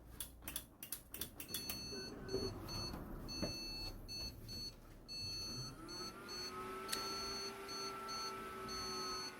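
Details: PC that powers on but shows no display, giving rapid repeated short high beeps: failed POST. Memory contact was suspected after a power fault was first blamed, and the keyboard is not recognized.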